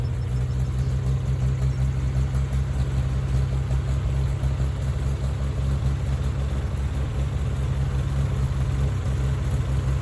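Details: Farmall tractor (1949 H or 1968 656) being sorted for fuel issues and cutting out, idling smooth and steady with no misses, stumbles or knocks after carburetor adjustment; it had barely run over 30 seconds before. Owner plans a fluid flush and fuel tank work. Normal running.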